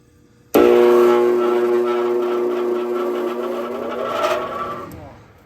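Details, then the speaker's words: Furnace indoor blower in a rental unit: it starts with a loud droning hum and rough roar, then winds down. Fallen duct insulation liner got sucked into the blower and it ran unbalanced and vibrating for a long time. The motor is failing and must be replaced; the wheel may be worn too. "不行了，不行了，必须换风机了，必须换风机了。"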